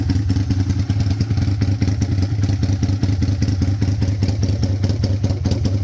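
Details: 2002 Aprilia RSV1000 Mille V-twin project bike, idling: a loping V-twin idle with a steady beat of about two and a half pulses a second, holding even. It sounds healthy.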